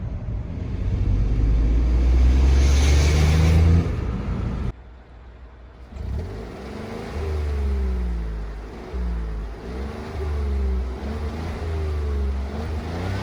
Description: Mein Škoda Fabia 3 1.0 MPI (Bj. 2015) hatte im Leerlauf (Kupplung nicht betätigt) ein Klappergeräusch. Dieses Klappergeräusch hörte man in den ersten drei Gängen bei der Beschleunigung sehr laut. Zudem rasselte das Ausrücklager ab und zu im Leerlauf sehr laut, sobald man die Kupplung gedrückt hat, verschwand das Geräusch.